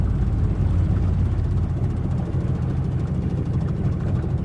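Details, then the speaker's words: Yamaha 45HP 2-stroke outboard on a 1971 Boston Whaler Sport, second outing after about 14 years unused, warmed up on the river: steady even low rumble without stumbles; now idles well, running better the longer it runs. "still doing great though it will idle now so like i said the longer it runs the better it runs it's doing real good at an idle now"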